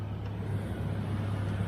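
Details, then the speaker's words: Truck with a little over 200,000 miles after a new AC compressor pulley replaced a failing bearing. AC is engaged and blowing cold. A steady, even low engine hum with no grinding or squeal; the pulley sounds normal, though there was slight noise at start-up. "It's not making those horrific noises that it was making before when that bearing was going out."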